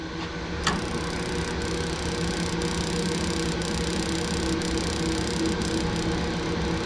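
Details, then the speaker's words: Laars Mighty Therm commercial hydronic boiler at startup during preventive maintenance: sharp ticks about once a second over steady pump and blower hum; igniter sparking normally, trying to light burner. "trying to spark I heard something click"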